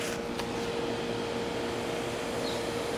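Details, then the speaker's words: 1990 Tempstar 4-ton air conditioner outdoor condenser, Copeland reciprocating compressor, original unit, running on an 84°F day, needs cleaning: smooth even fan rush with faint steady hum, no rattles; quiet, normal condenser running. "but yeah that's the temp star sounds good"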